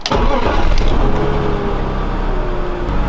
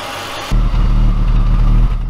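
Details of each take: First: 2003 BMW 5 Series E39, sat three years, after misfire repair and valve cover reseal: cranks briefly, catches cleanly, settles into smooth even idle with no stumble or hiss; misfire gone. Normal start and idle. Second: Abandoned BMW E39 5 Series first started after 3 years: deep, slightly uneven idle from a small misfire. No startup rattle, no knock, no coolant leak, no white or blue smoke; head gasket tests were fine.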